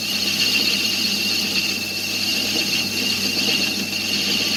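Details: 1993 Hymer Fiat Ducato series 1 2.5TD camper: continuous high, piercing squeal held steady over a faint engine as the narrow V drive belt slips on a worn crankshaft pulley; fixed by fitting a new, homemade crankshaft pulley.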